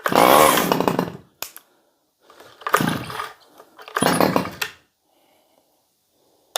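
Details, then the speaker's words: Stihl 011AV chainsaw, first start, choke used: short revving bursts with rough uneven firing dropping off between pulls; running a little rich, mixture screw to be adjusted. "sounds like she's running a little bit Rich I'm gonna grab my screwdriver"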